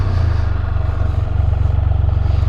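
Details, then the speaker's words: New 2022 Can-Am Spyder F3L, 1330 ACE engine with constant-mesh gearbox, manual downshifts while riding. Strong low exhaust burble with clean rev blips and no clunks or grinding. Normal downshift. "but when you manually downshift it really goes that sounds cool"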